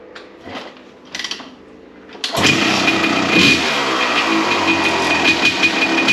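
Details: 1993 Honda CR250 two-stroke, first start after crank seal and other repairs; fires up into a harsh, raspy, crackling bark far louder than it should be; too noisy and cracky, owner thinks the muffler packing is worn and needs a repack.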